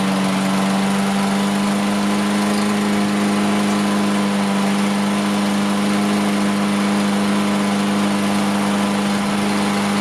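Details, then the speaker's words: Toro Recycler AWD mower, Briggs & Stratton engine, after raising idle by bending the adjustment tab: strong even hum at fixed pitch, no surging, misses or hunting; idle came up, sounds a lot better. May smoke while oil burns out of muffler. "That idle came up. Sounds a lot better."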